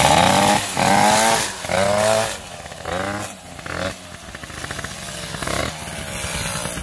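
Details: Small two-stroke moped engine after rebuild with piston, head gasket and ignition, revving cleanly, pitch rising and falling with no knock; earlier knock from piston play is gone, slight play at the variator.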